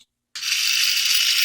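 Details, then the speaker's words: Taigen RC tank brushed motor and gearbox on a bench power supply at about 7.7–8 V: a steady, high-pitched gear whir with no knocking, slipping or surging. Working fine with no gear play. "now this one is working just fun you have no chimney issues you don't see any kind of gear play"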